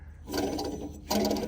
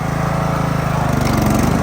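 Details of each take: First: Lawn mower deck pulley spun twice by hand gives a gritty, ratcheting rumble instead of a smooth free-wheel; the rough, worn pulley bearing is suspected as the source of the loud deck noise. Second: Riding mower with a roughly 46 in deck and a 42 in chute fitted, after repositioning a bent pulley brake arm on a previously loud deck: steady, even engine and deck hum, no squeal, slap or grinding; runs good, normal.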